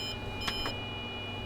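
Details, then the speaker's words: Kyocera FS3820N laser printer: short high beeps over a low hum as feeding stops, because the top output tray full sensor has triggered and halted the paper. This is a tray-full alert, not a fault. "Top tray full. Ah, that's a sensor to tell you that it's full. Ah, that's what it's for."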